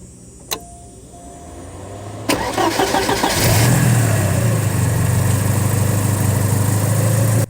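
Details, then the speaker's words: 1986 Porsche 944 Turbo, turbocharged, 5-speed manual, about 125,900 miles: the starter whirs briefly, then the engine catches cleanly and settles into a steady, even idle, starting with no trouble at all. "So no trouble at all with the start."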